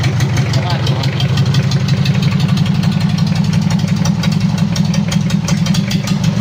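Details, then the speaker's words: Mitsubishi L300 diesel, post-2010, first start after engine overhaul with upgraded 12 mm rotor head injection pump: loud deep idle with uneven limping beat and irregular knocks; oil pressure 4 bar at idle, misfire caused by fuel leak. "Oke Lur sudah hidup untuk mesinnya Tapi ada kendala pincang kalau untuk oli aman udah naik tekanan oli idle ada di 4 bar"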